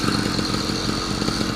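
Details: Yamaha YD100 two-stroke after rebuild with a hand-ground cylinder fitted with a Dio reed plate, pressure-tested, first startup and ride: crisp, steady buzz with even firing, no misses or knocks; running cleanly.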